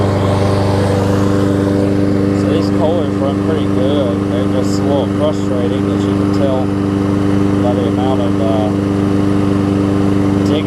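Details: Kohler-engined Lawn Boy mower after a carb clean that unclogged the top jet; it previously needed starter fluid to restart. A steady, even drone at constant speed that never surges or misses; the engine runs cleanly.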